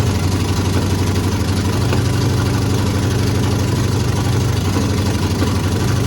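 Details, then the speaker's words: 1950 GMC truck on S10 frame swap, cold 20-degree February morning, electric choke not yet wired, no exhaust installed yet: low idle rumble with uneven lumpy pulse; engine won't hold a stable idle, needs exhaust before proper tuning. "she does not want to stay idled so we need to figure out what's going on there"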